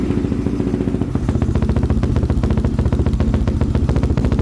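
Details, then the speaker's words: 2005 Yamaha Raptor 660 (bought running poorly, died on throttle) on choke: loud gunshot-like cracks three or four times a second over rough low idle, fire out exhaust and back through intake; owner thinks it smells lean, suspects idle mixture screws need tuning. "There's fire everywhere in this thing. It's shooting fire out the exhaust. There's fire coming back through the intake."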